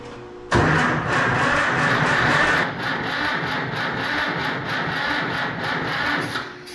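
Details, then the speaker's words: 68-year-old auction tractor that sat for years, with starting fluid and a charger on the battery: uneven lumpy churning crank that never catches. Owner suspects a couple of cylinders lack compression, possibly from a stuck valve, and plans a compression test. "So I think a couple of these cylinders, they really aren't getting compression that we need to get this thing fired up. We may have a step valve or something."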